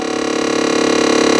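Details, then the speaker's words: GM vehicle (Equinox-type) HVAC, noise under the pedals when switching cold to hot: fast even ratcheting tick over blower hum, blend door actuator trying to open or close a stuck door; cold works but no heat. "escuchen ese ruido eso está como queriendo abrir o cerrar la compuerta"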